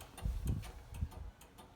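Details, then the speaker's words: 1967 VW Karmann Ghia with rewired ignition switch on a small lawnmower battery: quick dry ticks from the flasher relay with the signals flashing on one side only; passenger side not getting power, no headlights, cause not found yet. "got the flashes going on one side"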